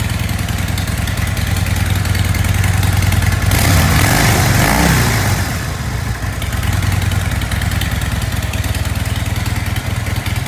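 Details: 2016 Dyna 103 Street Bob FXDB, stored since 2018 at 212 miles, stolen and recovered in 2022, on its first start in years after simple repairs: steady, lumpy V-twin idle, a short throttle blip midway, then settles straight back, normal idle.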